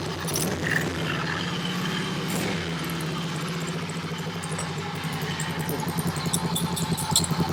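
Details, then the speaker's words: Honda CB77 Superhawk twin, stored for years in a container, oil level checked full, started on the electric starter: it runs rough and uneven with a loose clattering rattle over the exhaust beat. The mechanical noise source is unknown. "so let's see if it fires back up we'll figure out what that noise is who knows if you know what it is send me a message in the comments"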